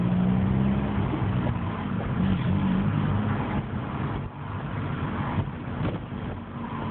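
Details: Opel Astra G under acceleration: engine pulls with a low droning rumble and rough uneven note; noise present, source unclear.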